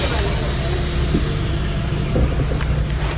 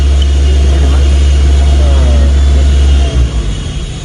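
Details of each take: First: Toyota Avanza EFI engine restarted after scan-tool ISC stepper test stall and key cycle: low steady idle rumble with no knocks, misses or hunting; idling normally again. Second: Toyota Avanza EFI engine at idle, scan tool actuating the ISC stepper (idle air control) valve closed: steady low idle hum holds about three seconds, then RPM sags and the engine stalls.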